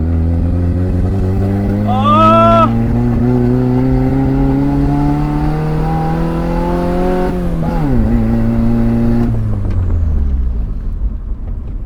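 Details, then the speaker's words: 1989 Toyota Corolla small body, free-revving after backfiring: rough, uneven note with occasional stumbles instead of a clean climb; misfiring under revving, electrical fault suspected, mechanic's verdict a loose connection at a box, to be tightened. "palyado na s try natin ikot meron pa din eh no meron pa din guys may ano may parang may parang may plema parang kumbaga sa lalamunan hindi smooth yung daluyan"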